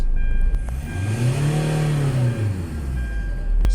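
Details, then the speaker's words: 2009 Hyundai Santa Fe that sat over a month without starting, after repair and fuel line work: smooth rev climbing steadily, holding, easing back with even, clean note; normal revving. "so punta naman tayo dito sa loob mga boss ng makita natin na malakas na ba sumo Yung kanyang tunggo tunggo ng RPM niya So Ayun goods na goods na talaga"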